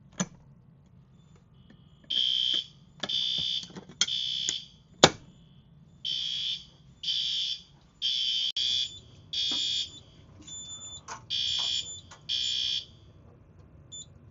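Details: Yearly fire alarm system test, Edwards 270 SPO pull station operated with screwdriver: high-pitched tone pulsing about once a second in even bursts; system in alarm.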